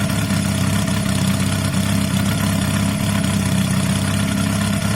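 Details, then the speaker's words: Honda CB250 bobber, 68,000 miles, after carb and electrics work and sealed exhaust, earlier knocking: smooth, even low idle with a steady beat and no misses, knocks, rattles or exhaust blows. "wow that sounds really healthy to me"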